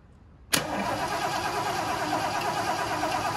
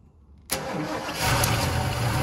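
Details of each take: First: 1976 Lincoln Continental, 460 big block, 41,000 original miles: starter churns steadily at about three beats a second for nine seconds, engine never catches. Cranks but won't start; probably no spark. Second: 1976 Lincoln Continental 460 big block, 41,000 original miles, first start after revival with gas in carburetor: quiet, sharp catch, fires and settles straight into strong steady idle; starts and runs normally.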